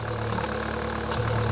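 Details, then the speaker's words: 2012 Vauxhall Corsa VXR, freshly rebuilt with forged internals, idling in neutral on first start: loud airy hiss as air is sucked in at the oil filler; vacuum leak through the rocker cover breather diaphragm. "it stems from the fact that when the engine's running it sounds like it's sucking in a load of air bear with me"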